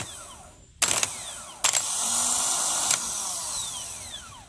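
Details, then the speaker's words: 1992 Geo Metro LSi convertible, G10 1.0L three-cylinder automatic: removed starter bench-tested unloaded on boost power, clean even high whir spinning up steadily without rattle; sounds normal, earlier noise probably from loose starter (missing mount bolt), though shaft bushing floats in and out, possibly bad. "And what I'm hearing there sounds very normal. So it probably was just loose."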